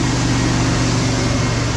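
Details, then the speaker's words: Dodge Aspen AWD Hemi V8 after heads removed and stuck-down lifters replaced: steady, deep, even rumble with no ticking over the top; valvetrain quiet, normal running after repair. "now what do you think no more ticket"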